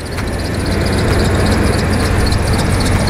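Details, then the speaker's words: Oldsmobile Bravada, cold idle, fan wind noise: rough stumbling idle with thin squeal; misfire plus belt needing tensioner and belt; owner wonders if distributor or plug wire causes misfire. "it definitely needs the tensioner and it definitely needs the Bell but the votes not terrible it's just cold now for the misfire that it has I'm kind of wondering if it's like the distributor that's up here"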